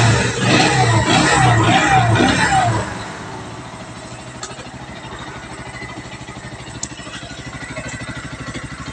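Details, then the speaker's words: Bajaj Pulsar NS 125 parked two years, after a full service (carburettor, air and petrol filters, throttle position sensor cleaned, fault codes erased): after a brief loud rev it settles into an even idle, firing pulses regular at about 200 per minute. "Very good, சூப்பராக start ஆகுது."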